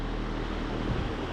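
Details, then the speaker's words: Vintage Patton high-velocity air circulator fan on low speed, motor cleaned and flushed with WD-40 after restoration: steady low hum and even whoosh, no rubbing or rattle, slight blade imbalance. Normal running. "the um motor in there is really working well I cleaned that out flushed it with some w40 and it is just running"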